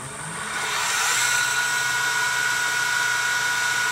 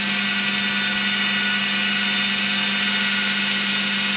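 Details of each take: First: Second-prototype 2x72 belt sander/grinder with gas-piston belt tensioner (40 lb): motor spins up to a high whine with a shaky roar; contact wheel not balanced for the speed, vibrating and shaking the whole machine. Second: Second-prototype 2x72 belt grinder with gas-piston tensioner, running at half speed: smooth steady motor hum and belt hiss, no knocks or scraping, belt tracking well; normal running.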